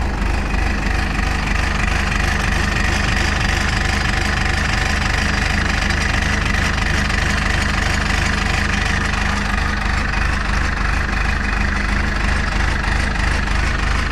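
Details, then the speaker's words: Cold three-cylinder diesel idling; steady even idle with firm low thrum and slightly harder cold clatter, smooth and healthy: normal cold idle. "There ain't nothing better listening to a 3-cylinder when it's cold."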